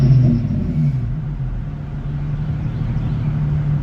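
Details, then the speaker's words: Infiniti G35 V36, 241,000 miles, after burping air from coolant due to overheating: warm idle at regular operating temperature, smooth steady rumble, brief rev settling to even idle; running normally. "Like you see, we're still at regular operating temperature at idle."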